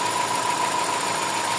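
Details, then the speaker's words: Toyota 4A-FE engine with low power and idle issues; crankshaft pulley recently replaced: thin steady whistle at one pitch over the idle, traced to an add-on PCB circuit module rather than the pulley. Whistle from aftermarket electronic module. "Yung tunog na yan, yung may ingay na yan. Kasi experience namin dati yan. Hinahanap ko talaga yung problema na yan."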